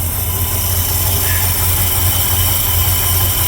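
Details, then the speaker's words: 1972 Ford F100 with 390 FE V8, just after swapping a Holley 600 cfm carb for an Edelbrock AVS2 625, automatic choke wired off, no adjustments made: deep, steady burble with no stumble or hunting; clean, smooth idle. "that is just straight up it's started it's running and it's idling so we'll see how it goes"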